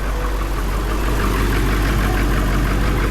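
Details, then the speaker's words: Diesel engine just after fire damage repair (belt refitted, melted wire casing), started after glow plugs: a steady idle with an even, soft, low pulse, no misfire or knock, and a constant note; it runs properly. "Oh, look at that, guys. They're running. Hooray!"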